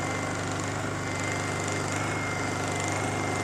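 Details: Honda EU2000i generator, about 8 years old, just restarted after orifice cleaning with choke on: constant-speed hum with a steady whine, no surging or misses; runs smoothly.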